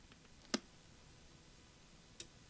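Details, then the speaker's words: Chinese diesel heater's outside fuel pump, plugged in indoors for testing while troubleshooting error 4: two sharp isolated clicks about 1.5 seconds apart in a quiet room; dosing pump stroking normally. "I'll be listening for the click that makes up this fuel pump"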